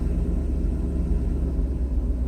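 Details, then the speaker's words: Mercedes 500SL V8 cold start, idle untuned: deep, steady low rumble with even beat and no knocks or misses as idle drops; normal operation, with a slight vibration to be addressed later. "that's normal operation I have not tuned it yet there's a little bit of a vibration but I'll deal with it later"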